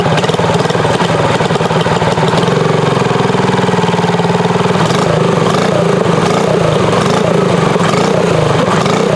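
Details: Tillotson 212EE engine freshly swapped onto Trailmaster MB200 mini bike with Super Pipe exhaust header, fresh oil and gas: loud, even single-cylinder putter at steady idle with raspy open exhaust, no knocks or misses; sounds really good, normal idle.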